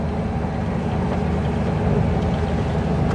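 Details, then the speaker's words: Spierings SK1265 AT6 six-axle crane after repairing one boost pipe (driver reported loud bang, power loss), road test in low gears: deep steady diesel drone pulling hard, no hiss or whoosh from the boost side, picking up power; healthy under load. "We're only through the low gears, but one, you'd hear it. which I can't hear nothing. We're already picking up some power, which is good."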